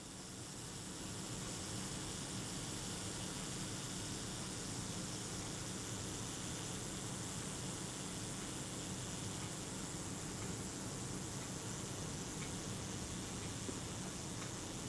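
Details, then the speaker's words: Kodak Retina IIIS shutter self-timer (delay action gear train) after flushing with naphtha and drying, before graphite lubrication: steady, even buzz runs about fifteen seconds without stalling or changing pace; smooth, steady normal run-down. "now that seems very smooth and very steady I'm quite happy with the action of that"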